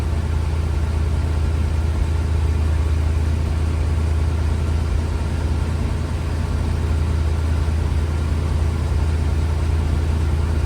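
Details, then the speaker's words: 1964 IH Travelall C1100 with Holley Sniper, idle raised to 750 rpm, owner may lower it slightly: steady even low idle with smooth regular beat, no knocks or misses; engine sounds healthy. "So, I did increase the idle a little bit. So now we are at 750. Um I might bring it back down just a little bit actually. Basic idle."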